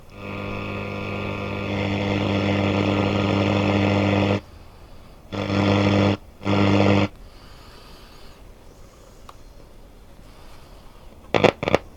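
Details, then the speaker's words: Hacker Herald RP30 transistor radio, tuned to a station. A steady low droning hum cuts in and out abruptly. Intermittent fault; a solder joint at a diode attached to a tuning capacitor gang is suspected, not confirmed. "oh there's something funny going on there I'll just turn it off for a minute and see what I can see"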